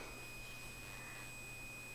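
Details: Thin, steady high-pitched tone holding constant over faint room hum; an iPhone was somehow making the noise, reason unknown.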